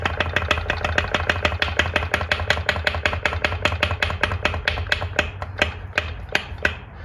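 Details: 2002 Polaris Magnum Sportsman 500 that smokes badly: sharp metallic clunks over a low hum. Owner suspects piston slap, rod play or a top-end click tied to the exhaust rocker; a top-end teardown is under way.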